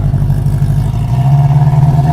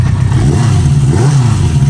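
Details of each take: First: 1973 Honda CB350 Four, new plugs and fresh gas, started on choke: engine climbs and holds a raised steady speed instead of settling; idle screw was turned fully in, at highest idle, believed backwards. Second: 1973 Honda CB350 Four, new spark plugs, fresh gas, new handlebars: quick throttle blips rising and falling cleanly, smooth even exhaust note, no stumbling; runs decently without choke.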